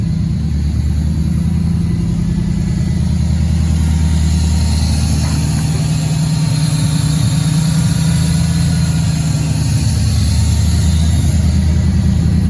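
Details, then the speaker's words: Junkyard 5.3 LS V8 with stock LS2 cam and Holley Sniper EFI, first start after sitting about two years, cold at 50°F: deep, steady burble holding an even idle, no misses, knocks or surging; normal idle. "yeah she's got a lot of power really early yeah oh wow we'll see it sounds good sounds really"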